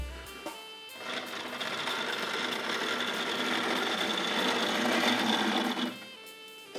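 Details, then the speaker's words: Hornby R.357 Class 31 diesel model locomotive from the 1972 Freightmaster set, unoiled and as received, run backwards and forwards: a small motor whirs with a faint thin squeak; the motor is very dry and needs oiling. "so uh that's sort of as it came to me i haven't oiled that or anything so i have had to look in you can hear a bit of a squeak there"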